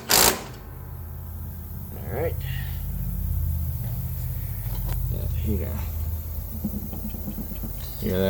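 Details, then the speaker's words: John Deere S130 mower deck running: steady low drone with a faint rough hum underneath, possibly from a spindle bearing with play; the noise went away after the blade was refitted. "That's coming from the spindle. So those could be making noise too for sure."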